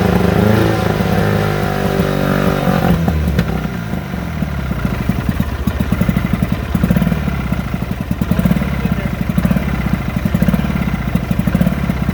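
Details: 1972 Sea King (Chrysler) 35 HP outboard on its first start in nearly 20 years, after replacing the flywheel key, shift tied in neutral: a rough, ragged popping idle with clatter; the fuel pump clearly needs rebuilding and tuning is still needed.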